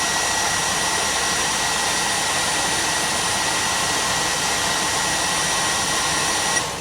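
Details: 2014 Peterbilt sleeper HVAC blower motor running after a sock was pulled out of it (burned HVAC control module found): steady, even rush of air with constant whir, no rubbing, ticking or wobble; air comes out cold. Normal blower operation.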